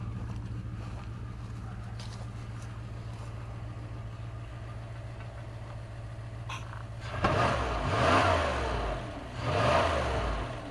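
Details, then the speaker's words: 1997 Dodge high-roof van, 360 V8 automatic, sitting 5+ years; steady low idle then two clean revs rising and settling without knocks or misses; sounds healthy, normal revving. "well there you go I thought I picked an easy one that ain't too bad for sitting that long now is it"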